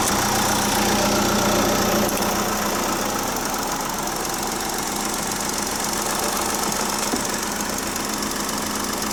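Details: Chausson motorhome diesel, unused since January with a flat battery, idling after about 10 minutes on jump leads: steady, even clatter with no misses or surges, normal idle.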